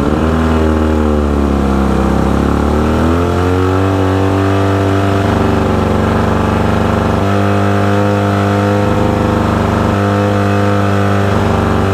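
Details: 1972 Mercury Thunderbolt 500 50 hp outboard on a 1971 Ranger Fisher King boat, after new switch box, ignition coil and timing belt; steady tone rising and falling smoothly with throttle, no misfires or stumbling; running normally.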